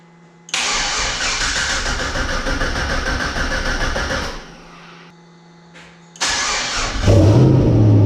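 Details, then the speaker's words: Turbo LQ9 V8 swapped into a 240SX, first start after rebuild and reinstall, oil pressure confirmed; engine cranks, catches and holds a strong even run, then restarts cleanly and settles; normal healthy start-up. "so we're gonna fire it up or we're gonna attempt to fire it up we got oil pressure all i gotta do is plug up the fuel make sure it primes fire in the hole"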